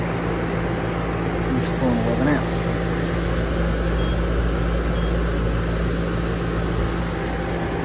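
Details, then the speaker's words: New Lennox AC condenser after adding isolation pads and a hard start kit with sequencer relay: fan running with steady low hum, compressor starting smoothly without the previous startup thump. "that's pretty much one of the things you can do if you have a new install and it's just noisy on startup isolation pads hard start kit with a sequencer relay and that just really quiets it down"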